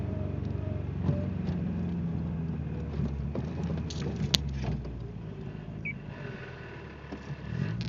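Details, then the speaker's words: Car with a bad misfire and a loose timing belt tensioner pulley (vibrates under 2k rpm), in first gear. An irregular metallic rattle rides over the engine drone; the shifter bushings are known to need fixing. "The other thing is this, kind of annoying. Guess what gear I'm in? First."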